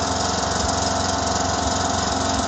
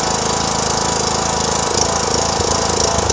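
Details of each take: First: 2009 John Deere LA105 lawn tractor single-cylinder Briggs engine, cold first start after tune-up and fuel-system purge: steady even idle, no misses or knocks; running smooth, about 80% improvement. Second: 2009 John Deere LA105 lawn tractor, 42" deck, yard-sale buy started with a jump pack: loud small engine runs with an uneven, hunting beat, then shuts off; rough running, owner says it needs a tune-up and fuel system service.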